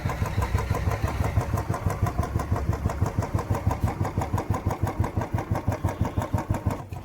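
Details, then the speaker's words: Royal Enfield Bullet 350cc single-cylinder idling just after start, brought out after standing and started in cold weather when its oil thickens; even, lazy thump-thump with steady beat, no knocks or misfires — normal idle. "देख सकते हो आप ये इसकी आवाज है 350 सीc वाले engine की आवाज यह देख सकते हो भाई एक बार इसका व्यू और यह मैंने आपको चालू करके भी दिखा दिया।"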